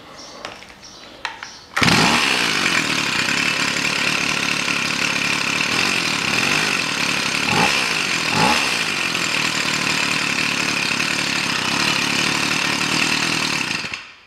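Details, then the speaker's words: Stihl FS 55 trimmer after no-start from oil overfill fouling the plug, started without air filter: crisp high buzz steady for twelve seconds with quick throttle blips picking up cleanly, warm; runs properly. "все работает на этом всё всем добром"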